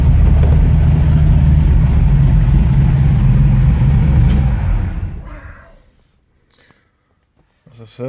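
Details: 1969 Ford Mustang V8 being restored in Sweden, first start in about six months, started in neutral without hesitation: deep, even rumble holds steady at idle without stumbling or misses for several seconds, then fades; engine sounds healthy.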